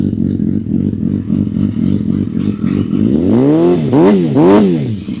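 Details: Honda CBR250RR MC22 after restoration with carburettors refitted, rewired loom and new aftermarket radiator; even, brisk idle, then quick clean blips rising and falling smoothly with no hesitation; healthy, responsive engine.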